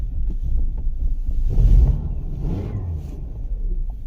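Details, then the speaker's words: 2013 Kia Sorento 2.4L, 103,000 miles, stalls and runs rough, codes P0017, P0106, P0191: low, uneven shaking idle with irregular thumps, dies when given gas; stuck exhaust cam phaser. "Give it gas and then see it just died."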